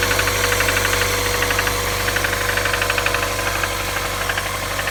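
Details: 1998 1.8 engine: sharp metallic tapping about two to three times a second over a steady idle; engine knock at idle.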